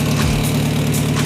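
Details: Saveiro turbo (Super Surf) after six months of turbo use, after sitting nearly two days: earlier valve-tapping noise has ceased; steady, even idle with smooth low hum and no top-end ticking, engine sounds healthy.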